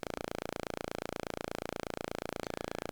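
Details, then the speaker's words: Loki synth module during VCA offset calibration, with trimmer 17 turned fully clockwise before adjustment: steady buzzy tone with fast regular clicking caused by VCO2 bleeding through onto the envelope. "Now, the idea is to turn trimmer number 17 until that clicking just goes away. And the clicking is caused by the effect of VCO2 on the envelope."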